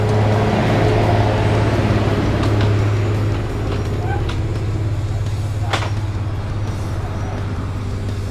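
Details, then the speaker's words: Easyride 150N GY6 scooter with D-type carb after auto enricher (auto choke) removal, which had caused hard starting and fuel smell; starts first kick, idles about 1,000 rpm with soft steady low beat, quiet, no knocks: normal idle. "siya tapos ang lamig ng andar ni hindi masyadong maingay"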